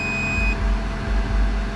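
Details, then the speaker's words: Bluetti AC200P power station running two devices for 30–40 minutes, battery at 79%, switched to the higher setting: one high half-second beep over loud fan and heater roar; overload fault warning, unit stays on. "Okay, so it's beeping. Overload. Okay, overload, but it's still on."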